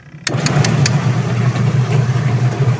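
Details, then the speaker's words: Sharp Gigawash Jr washing machine, noisy when spinning, after gearcase replacement with 27.5 belt, filled with water: motor kicks in and settles to an even low hum with no grinding or knocking; spin runs smooth. "Nilagayan ko na siya ng tubig. So ayan umiikot na. Galing ah."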